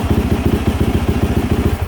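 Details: 2024 Yamaha YZ450F single-cylinder started after water spout and coolant sensor replacement; app shows no diagnostic codes. Crisp, regular thumping at about eight beats a second, even and unbroken, then fading out; healthy idle.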